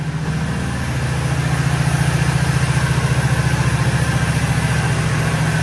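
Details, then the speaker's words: 1986 Oldsmobile Cutlass 442 G-body V8 after an exhaust leak repair, with an even idle pulsing about three and a half beats a second. No ticking or exhaust puffing; it runs clean, like a sewing machine. "listen to the engine and sound like a little sewing machine"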